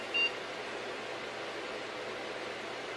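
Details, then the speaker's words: Packard Bell iMedia S3720 desktop at power-on: one short high POST beep over a loud steady fan rush, with the BIOS prompting to load default values. "beeps press f12 load default values and continue f1"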